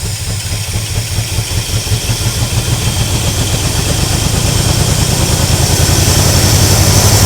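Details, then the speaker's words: 1976 Chevrolet K20 3/4-ton 4x4 V8 plow truck, sat for years, with a little more RPM: deep, lumpy stumbling thumping as revs creep up; running badly, shot a ball of fuel from exhaust with raw gasoline leaking, owner suspects fouled spark plugs. "Guarantee you pretty much they're all smoked because uh I just shot a ball of fuel out of the exhaust. And there's raw gasoline running out of this side."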